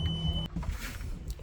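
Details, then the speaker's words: Boston Whaler 330 with Mercury JPO power steering, port motor showing a steering code; engines running, pump gives a steady electric hum with faint high whine, then cuts off cleanly when unplugged; pump working normally. "okay we can hear the pumps running now you can hear it what we want to do is just unplug it then we know this one is working"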